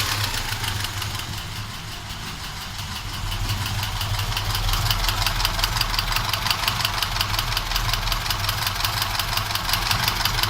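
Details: Moskvich engine at idle: a regular knock about three a second standing out over the engine; engine knock, cause not pinned down.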